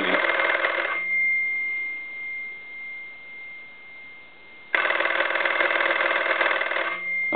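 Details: German Post Office telephone after its touch-tone conversion and repair, with a newly added bell on/off rocker switch: two bursts of fast, even bell ringing, about four strikes a second, with a quiet gap between; the bell is clean and healthy.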